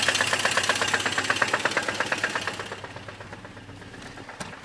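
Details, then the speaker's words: ZMZ-402 engine in a Volga, oil pressure normal: rapid sharp metallic knocking with strong vibration into the gearbox, louder with rising revs, gone under load; location and cause unknown. "какой-то идт грохот короче вот не поймёшь где он локализуется на самом деле становится больше с прибавлением оборотов"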